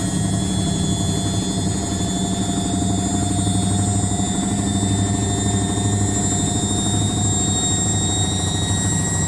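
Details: Indesit WITL 106 washing machine on the spin cycle: fast, rough, repeating thumping over the steady spin hum and motor tones; the drum is knocking during spin.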